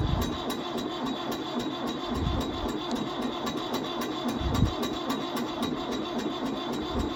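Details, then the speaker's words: 1974 Ford 5500 backhoe, 74 hp diesel, cold start after sitting a long time, batteries questionable: steady cranking at a few strokes a second for seconds without catching; cause not confirmed; prolonged cranking, no start. "It has been sitting a long time. So, come on batteries. Don't fail us now."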